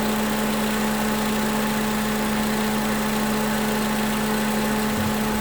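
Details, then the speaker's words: 2011 Toyota Camry 2AR-FE after lifter and rocker arm replacement, warm with the fan on and no leaks. Revved to about 1500–1600 rpm and released, it settles to a smooth, even idle with no stumble; coolant later read 230 on the scan tool. "Alright, so as you heard, brought up to 1500. Well, I got up to like 1600. Let it go, and it didn't stumble at all. So, which is a good thing."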